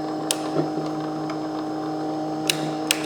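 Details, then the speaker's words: Old jointer after repairing a self-made dead short in the wiring: motor runs with a smooth, steady hum, faint whir and stray handling ticks; motor healthy, though the switch is bad. "But that motor's running good. Hear that thing running?"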